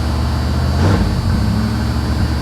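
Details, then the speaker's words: 1982 Chevy Camaro Z28 Crossfire-injection V8 (possibly 5.7, unconfirmed), salvage car, just started on a mild day: deep, steady, even rumble idling a bit high, about 1800-2100 rpm; sounds healthy. "she fires right up idling a little high but hopefully it'll drop down here in a second she's running about 1800 rpm now 2 000."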